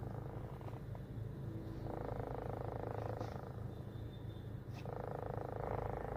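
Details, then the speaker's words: Toyota Corolla with the AC running: a steady low cabin hum, rising and falling slightly, first felt on the passenger side by the blower and traced to inside near the sunroof. "ये आवाज़ चेक करें जो आप कहते थे ना एसी चलाने पे ब्लोर वाली साइड पे यहाँ से फील होती थी।"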